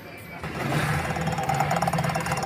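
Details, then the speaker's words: Electric scooter hub motor makes a harsh, rapid chattering buzz with a steady hum underneath as the wheel spins; noisy hub motor, cause suspected, not confirmed, with winding, controller and battery voltage being checked. "यह देखें दोस्तों यह ह motor से आवाज आ रही है"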